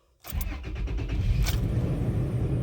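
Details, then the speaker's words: 2005 Toyota Tacoma with code P0301, started fully cold: the engine catches and settles into a lumpy, uneven idle with missed beats and visible shaking. Cylinder 1 misfire. "sí sí sí sí sí sí está temblando mucho en este momento este este este motor estoy poniendo acá esta botella de agua como referencia para poder ver el movimiento"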